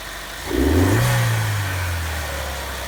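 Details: Chevy Cruze 1.4 turbo just after cold air intake install (new throttle-body pipe, MAF sensor reconnected): engine catches with a brief rev flare, then settles into a smooth, steady low hum at idle; normal start and idle.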